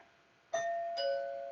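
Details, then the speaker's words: Doorbell chime tested after diagnosing a non-working doorbell (red and white wires checked); clean two-tone ding-dong sustaining and fading evenly, power now coming through and the chime working properly. "Works perfect. So the power is coming through."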